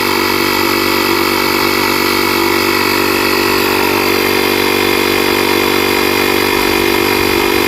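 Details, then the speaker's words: JF.EGWO 2000A 12V lithium jump starter's built-in cordless compressor inflating a tire from 25 psi toward 32 psi, about 5 psi a minute; steady fast buzzing pump at about four strokes a second, running normally. "It's about 5 pounds a minute. That's not bad. That's really fast for a small compressor."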